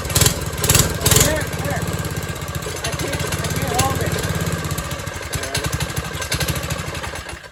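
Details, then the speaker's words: 1970s MTD Mud Bug trike with replacement John Deere 5 hp single-cylinder, unused 5–10 years, on choke: runs fast and uneven, never settles; idle screw found cranked fully in. "You know, it looks like somebody took the idle screw and just cranked it all the way as far as they could."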